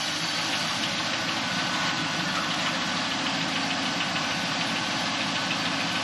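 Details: 2001 Camaro SS after replacing the whining power steering pump with a Cardone pump, new lines and hoses and fresh Amsoil fluid, warming up: steady idle, smooth hiss, no pump whine as the wheel is turned; steering healthy.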